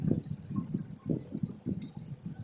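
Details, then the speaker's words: A four-wire mechanical washing machine/fridge timer, switched on before a continuity check of its wires, gives a soft, low ticking several times a second as its gear moves; stepping round normally. "ये मैंने टाइमर को ऑन कर दिया और अब आप देख सकते हैं इसमें किटकिट की आवाज़ आ रही है और इसका जो गरारी है वो मूव कर रहा है।"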